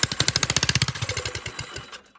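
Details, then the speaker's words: Old John Deere 65 lawn tractor abandoned 25 years, swapped Tecumseh engine, starter fluid sprayed in plug hole, fuel leaking: sharp firing pops about a dozen a second fade within two seconds and it dies; owner suspects fuel not reaching the top. "runs and dies still wonder if we thread it out more I don't think it's getting fuel up to the top"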